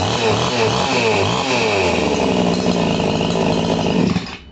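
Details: Chainsaw after carburetor adjustment, both screws turned fully in then backed out 1.5 turns; strong, even two-stroke buzz holding high revs steadily, then cutting off cleanly; normal running.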